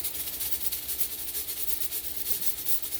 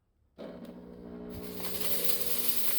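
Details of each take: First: Revived 20-year-old fog machine after running fluid through to flush debris: even hiss with a fast steady pump pulsing as it finishes priming and squirts well. Burnt smell gone, now fogging normally. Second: Reassembled fog machine, unused about 20 years, cleaned with vinegar and filled with fluid: after silence the pump starts with a rough, rattling buzz and hiss that slowly builds. It works but still sounds jammed.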